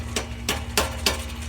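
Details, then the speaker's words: 1998 Chevy Silverado 1500 with a P0420 catalyst efficiency code: four sharp metallic clanks about three times a second over a low idle hum as the pipe is struck, a loose exhaust flange joint leaking and rattling. "and you can actually hear it driveing down the road when you go from one gear to the next and accelerate it'll rattle so there's my problem"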